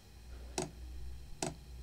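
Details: Diesel heater (Dual Top) on simple controllers with no ECU, blower about 10%, fuel pump pulsed 25 ms on / 800 ms off: sharp single ticks about every 0.8 s over a low hum; normal dosing pump ticking while the heater lights.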